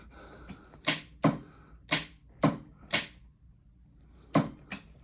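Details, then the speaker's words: Big-block Mustang with Tremec transmission, starter disconnected, relay ground wired as neutral safety: crisp single clicks, seven in about four seconds, as the key is turned; starter relay pulling in normally. "You'll see the voltmeter, but you also hear the starter relay clicking over there. There's no starter hook to it, so."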